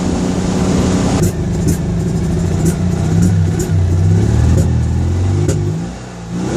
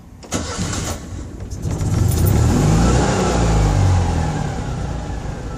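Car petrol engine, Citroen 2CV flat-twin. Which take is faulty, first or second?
first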